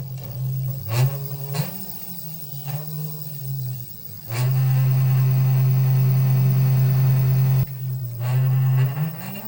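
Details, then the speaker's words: Battery electric scooter hub motor that runs only intermittently on throttle: loud, low, rough droning hum surging and cutting with throttle; motor itself reportedly fine, wiring problem suspected. "কিন্তু একটা আওয়াজ জোর হচ্ছে, আওয়াজটা আপনারা শুনতে পান কিনা দেখুন।"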